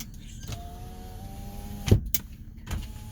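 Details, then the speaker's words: 2009 Nissan Murano, 197,000 miles: rear window electric motor hums steadily about a second and a half then stops with a thump as rear windows go down; normal power window operation. "rear passenger side window goes down, rear driver's side window goes down,"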